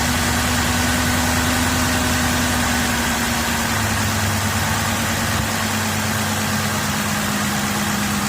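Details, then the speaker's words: 2007 Cadillac DTS started after water pump pulley work: loud idle with uneven stumbling beat about three per second and shifting low drone; misfire, owner suspects a mildly blown head gasket, not confirmed. "Feel that misfire. The misfire ain't a good sign. Seems like the head gasket may have mildly been blown."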